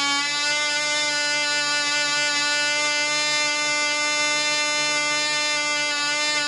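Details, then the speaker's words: Black Widow mouse racer second run after loose screws found, 24% nitromethane fuel, 5x3 prop, high-compression head: steady high even buzz, no misses or surging, about twice as loud with prop wind audible; runs better. "it runs out that cigs about twice as loud and I swear I can hear the wind off the prop so it runs better"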